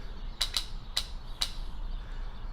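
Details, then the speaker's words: Toyota MR2 Spyder 2ZZ-GE cam-lift oil control valve, original JDM part, bench-tested off the engine powered from a motorcycle battery: five sharp irregular clicks in three seconds; solenoid pops crisply each time, seems to work. "I don't know if you can see it in there very well, but it pops those, that little solenoid pops. So I'm not noticing that anything's necessarily wrong with this thing. It seems to work."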